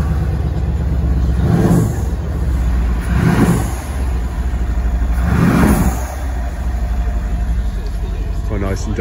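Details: 2014 Mercedes W212 E63 AMG V8 after replacing the stock air filters with oiled K&N filters: deep rumble with three short throttle blips settling back to an even idle; intake sounds strong and healthy.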